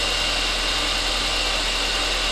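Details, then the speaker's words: Saab 9-5 Aero, restarted after sitting a few years, fresh oil change and new battery: steady, even warm-up idle with a smooth hum and slight valve train chatter at first that quiets down; normal warm-up idle. "It don't sound too bad. Tiny bit of valve tray noise at first."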